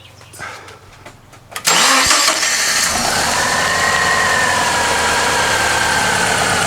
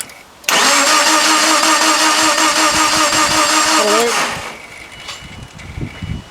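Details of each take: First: Subaru Impreza previously crank-no-start (no spark suspected after being moved a few meters and shut off), now repaired: cranks briefly, catches cleanly and settles straight into a steady, even idle with no misses or knocks; normal start and idle. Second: Subaru Impreza crank-no-start, second day of diagnosis, meter on AC volts checking crank sensor output during cranking: steady starter whirring about three and a half seconds, engine never catches; cranks, no start.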